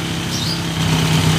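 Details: TMX 155 fitted with a 7.2 racing cam and a 62 mm block, brought in as hard starting. Short idle burst with a light, quick tick over the beat. Valve-train ticking from the high-lift cam.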